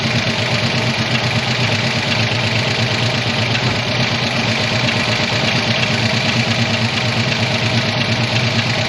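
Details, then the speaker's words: 1985 ASC McLaren coupe, newly built engine, first start since 2002, manual choke and eyeballed timing: loud, uneven, lumpy chuffing idle with a ragged exhaust note as a nest blows out of the exhaust. "apparently something had a nest in the exhaust system so it's shooting it all out now but holy crap she runs"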